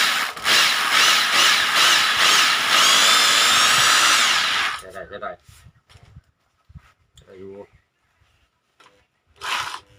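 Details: Rotary hammer drill after home repair (broken bearings) test run; high steady whir with fast, even hammering for about five seconds, then stops: healthy normal running.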